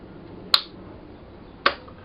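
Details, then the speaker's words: Bench demonstration of a starter solenoid wired to a battery through a fuse. Two sharp, crisp metallic clicks about a second apart as the solenoid pulls in and connects the main terminals. Normal operation. "and that click indicates that these these two terminals here are being connected together"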